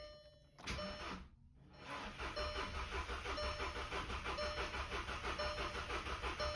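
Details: VW GTI that quit after spinning wheels in third gear, past coil problems, number 2 misfire and evap/vacuum leak codes, fitted with four used coils: steady cranking at about three pulses a second, never fires; cause unconfirmed, spark being checked.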